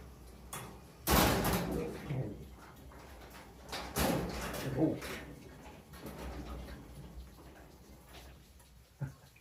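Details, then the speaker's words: Garage door run after replacing metal rollers with nylon ones: mostly quiet, broken by two loud metallic clanks, likely from the lift cable, unraveled during the job, jumping across the drum grooves. "that sounded really good except for those two clanks hopefully it just clanked itself out"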